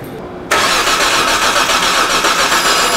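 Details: 2007 Hyundai Santa Fe 2.7L no-start, cranked while ignition coil is scoped: steady even starter whir for several seconds, never catches; spark confirmed present.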